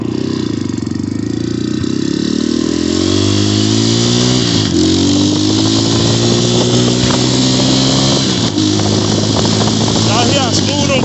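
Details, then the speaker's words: Xmotos 250cc single-cylinder dirt bike ridden on a short warm-up ride after a clutch adjustment: revs climb, then drop cleanly at each upshift with no clunk, slip or grind, so the gears shift smoothly. "Them gears change so smooth, that's what I like about it."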